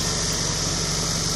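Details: Hytrans HydroSub HS150 hydraulic submersible fire pump unit's diesel engine (turbocharged) lowered to minimum RPM idle before pump retrieval and shutdown: steady, even low idle with constant hiss on top, no knocks or misses; healthy idle.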